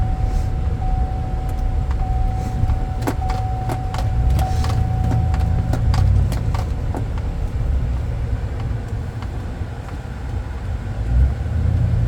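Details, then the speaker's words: 2007 Chevy Avalanche 4x4 test drive in 2WD: deep, smooth engine drone builds and eases with road speed, only a few cabin clicks, no knocks, whines or rattles. Normal engine under acceleration; good acceleration. "Just right off the bat, it's got a good acceleration and the motor sounds good."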